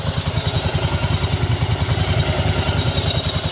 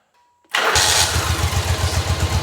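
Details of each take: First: 1985 Yamaha Virago 1100 V-twin, back running after 8 years in storage and carb and fuel repairs: fast, light ticking over a lumpy idle; it also stalled and won't rev past about 5500. Valve tick, needs valve adjustment. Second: 1985 Yamaha Virago 1100 V-twin, laid up 8 years, after carb, fuel and brake repairs with the choke fully off: a quick crank, a clean catch and an even, lumpy idle with good throttle response. Normal start and idle.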